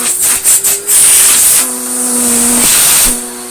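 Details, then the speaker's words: Electrolux Slimline Mk2 156 vacuum, long stored in a loft, with its old bag, first switch-on: a loud, steady high-pitched hiss over the motor drone comes from the hose; the motor has good suction. "Turn it on though. Got some good suction. That's the hose making that noise."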